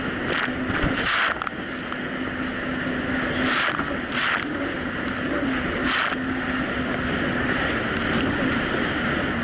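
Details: 2007 Yamaha VX Cruiser jet ski on choppy Lake Michigan after new, properly gapped spark plugs (about .028): steady drone holding even pitch over wind and water, no surging or cutting out; normal running.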